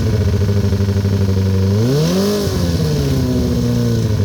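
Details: 2008 Kawasaki ZX-10R, partly warmed up (162): lumpy idle with a quick rev blip and drop back, a light uneven knock pulsing under the exhaust; owner is still trying to find the source.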